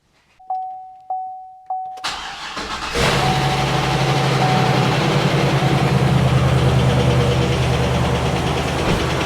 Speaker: sounds like a good running six L to me there is a little tick that also could just be because it's been sitting and it doesn't have oil up there